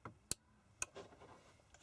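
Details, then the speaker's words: Chinese diesel parking heater, fan had been rubbing on casing then unit cut out, now shows error 06 on start: two faint sharp control-board relay clicks half a second apart, no fan spin-up; relay clicks but heater won't start. "Now when I do it, you listen. The circuit board clicks and nothing happens."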